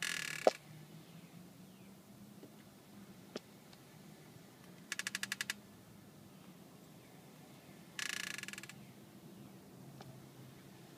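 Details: Clicking and scraping from all wheels in short bursts about every three seconds as the car creeps, only at one point in wheel rotation, after new rims were fitted; lugs were re-tightened, hub-centric rings fitted, shops found no cause.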